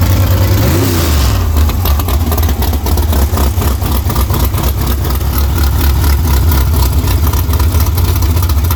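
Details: Carbureted small-block V8 after an engine swap, timing advanced about 8–10 degrees by ear: deep rumble revs quickly and crisply on light throttle and settles back without stumbling; healthy, snappy response.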